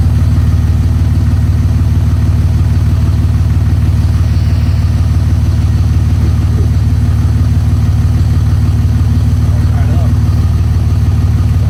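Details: 2004.5 5.9 L Cummins turbo diesel cold-started at about 25°F after sitting a couple of weeks: steady even clatter at about three beats a second, no misses or knocks; normal cold idle.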